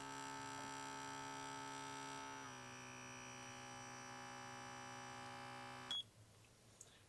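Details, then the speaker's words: KAATSU C4 air compression unit: steady electric motor hum with a buzzy tone, dipping once then running evenly before cutting off; never reaches pressure with any air hose, so the compressor itself is faulty. "Because the compressor didn't hold pressure with any of these air hoses, we know that the compressor is the issue here."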